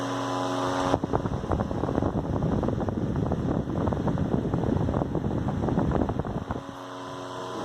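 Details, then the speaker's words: Antique General Electric fan, believed early 1930s or 40s, on high speed: full steady motor drone with busy airy blade rush, likened to a vintage airplane motor; runs normally. "Let's crank it up to high. Very, very nice. Almost like a vintage airplane motor."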